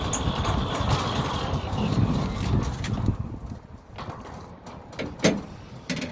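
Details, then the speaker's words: Newly installed Centurion D6 Smart sliding gate motor on a new concrete-set steel platform, moving a heavy steel gate, heard standing over the motor; low smooth hum without straining or rattling, easing off at the end, no vibration, healthy. "if we stand over the gate motor, you'll see that there's no vibration on it. And you can hear that the gate motor is not laboring at all."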